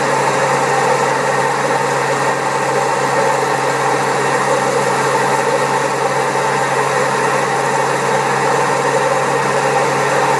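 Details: Servis Caress 1300 A washing machine spinning at 1300 rpm: loud constant roaring rumble with fixed droning note; very bad drum bearings, pump also creaky.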